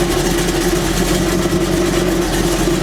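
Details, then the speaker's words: 1984 Chevy truck V8 restarted after work to fix a front tapping noise, possibly from the exhaust collector bolts. It idles smoothly and evenly with no ticking, though the owner then hears a little noise and says the cheap mufflers are internally destroyed. "other than that I don't hear anything coming from the front of the engine anymore"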